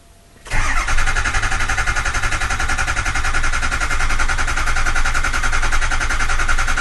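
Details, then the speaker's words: Ford Powerstroke 6.0L diesel in a hot no-start: starter cranks steadily for several seconds before catching, with ICP pressure rising far too slowly (should reach about 500 within two cranks) while coolant and oil temperatures are monitored; cause not yet confirmed. "that actually took way too long it should happen this should go up to know within 500 P high within like two cranks"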